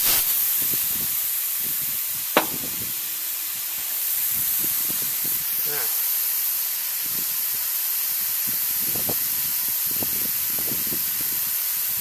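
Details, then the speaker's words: Refrigeration condensing unit pressurised with nitrogen, suction and liquid line valves shut, system previously at zero pressure: steady airy hiss of gas escaping; high pressure switch capillary found broken off. Repaired with a new 1/4 flare, brazed back together. "I think he noise coming for this tap on there I think that's leaking there on that's where that pressure is going"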